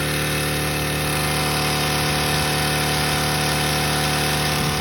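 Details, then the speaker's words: Craftsman 4-cycle small engine run with no oil after draining ATF, in a deliberate attempt to blow it: running hard and steady with a faint uneven metallic rattle underneath, which the owner thinks may be rod knock. "No oil, and this damn thing ran way longer than I anticipated. I'm starting to kind of hear a metallic sound. Sounds like a rod knob, but I can't really tell."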